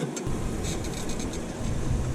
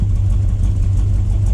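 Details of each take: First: 1979 Chevy C10 factory 454 big block after sitting five years on old ethanol fuel: brief crank catches into a low, rough, uneven rumble wavering in speed; hard starting, owner suspects bad fuel pump. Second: First start of a 1979 Chevy C10 factory 454 big-block V8 after sitting 5 years. Steady, even low idle rumble with no knocks or ticks; healthy, with almost 60 lb of oil pressure afterward.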